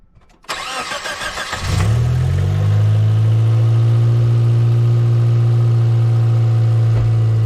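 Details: 1995 Geo Metro after water pump and timing belt replacement, first start: brief cranking, then it catches and settles into a smooth, even, steady idle with no knocks or ticks; healthy.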